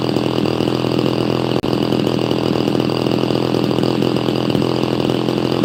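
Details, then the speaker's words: Chainsaw, apparently an XL Super XL Automatic, with all-factory unmodified exhaust, warming up: a steady, even two-stroke burble at idle with a fast buzzy note and no misses or rattles; quiet and idling normally. "So, this has uh all the factory exhaust. I've not modified it or anything. It's actually pretty quiet. It uh purr along pretty good."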